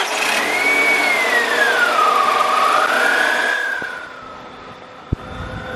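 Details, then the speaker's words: BMW 318ti four-cylinder restarted hot after repair of an intermittent misfire occurring only on hot restarts: catches cleanly, no stumble or skipped beats, settles quieter and even; considered fixed; normal warm idle. "Hell yeah, bro. I would consider that fixed, my guy."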